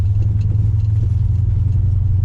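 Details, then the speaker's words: Dodge on 15x10 rear rims with big tyres after inner wheel guards were cleared, driving round a roundabout: only smooth low road rumble, no scraping or rubbing from the rear tyres; tyre rub fixed. "On the road, nothing. No scraping, nothing. When we cleared the inner wheel guards, we've given those wheels and tyres enough room to move up and down."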